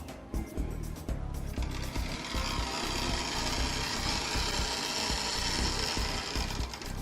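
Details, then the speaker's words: Lima OO gauge class 73 (73129 City of Winchester) model locomotive on its arrival test run before servicing: busy, rough grinding rattle throughout with no clean motor hum, very grindy, needing a full service. "she runs but she's very grindy so by the sound of it she could definitely uh benefit from the oneoff Lemma service that I usually do"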